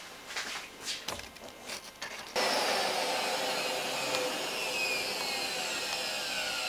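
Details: Miele vacuum cleaner after repair: steady, even rush with no rattle or roar, normal full-power running; earlier tremendous noise was motor imbalance from fan holes clogged by carpet underlay residue, cleared with wire and cotton swab.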